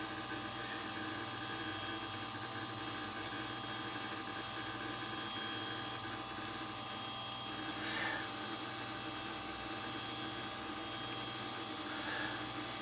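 Quiet continuous rapid ticking and chattering over a steady hum, typical of a drive seeking hard during heavy disk work; normal.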